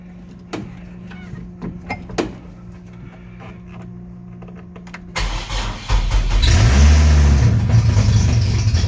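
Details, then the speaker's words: 2009 Chevrolet Colorado 3.7 i5 with AR5 swap, first start 10 months after an oil-line engine fire, exhaust not yet fitted: a few seconds of cranking with clicks, then catches into a loud, deep, raw roar. "okay that's a little loud we're gonna put the exhaust on before the next one"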